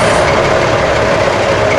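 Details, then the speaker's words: Fuel-injected diesel truck started with the clutch depressed and no throttle during a pre-trip inspection: catches cleanly and settles into a steady, even clatter with a firm low drone and no misses; oil pressure comes up immediately. "there's no throttle necessary on the diesel engine it's fuel injected so just start it up"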